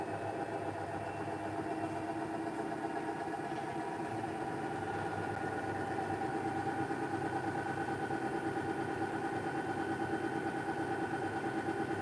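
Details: Hisense WFQP9014EVM washer, about nine and a half months old, washing a 13.5 tog duvet on synthetic 60: steady even drum hum with soft rhythmic swish about ninety a minute, no knocks or grinding; normal wash running.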